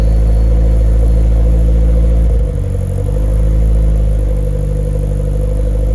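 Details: Nissan S14 after refuelling with 93 octane, still untuned: deep lumpy rumble swells with throttle blips, sharp exhaust pop as revs drop; exhaust pops while revving.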